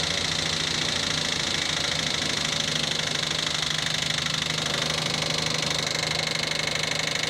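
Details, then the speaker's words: Abandoned Nissan R34 Skyline (Neo engine) started after a long sit: sharp metallic ticking, about three a second and uneven, over a buzzing idle; top-end knock, head judged toast, possibly a valve failure, unconfirmed until teardown. "Yep. As you heard, the head's toast. Yeah. Could have been a fair few things which went wrong."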